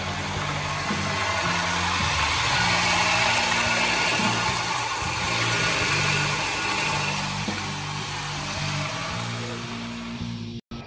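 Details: 1989 Chevy S10 2.5L Iron Duke four-cylinder after water pump replacement and coolant refill: steady even idle, no knocks, misses or squeals, background music; engine healthy.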